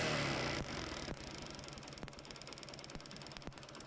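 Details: Kick-start motorcycle fitted with homemade CDI unit (BT151 SCR, 1N4007 diodes, 100 ohm resistor, 1uF 400V capacitor) replacing the original: after a kick, quiet steady ticking idle about four beats a second; ignition firing properly.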